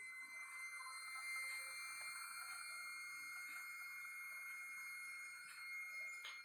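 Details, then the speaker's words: Freezer after door is closed gives a thin steady high whistle with several fixed tones: air drawn in through the door gasket at the freezer corner due to vacuum; door gasket air leak. "esse barulho é alguma coisa que sempre se preocupar não é nada assim desesperador nada mais é do que o vácuo a borracha em algum ponto nesse caso é bem no cantinho do freezer em algum ponto a borracha está dando entrada de ar"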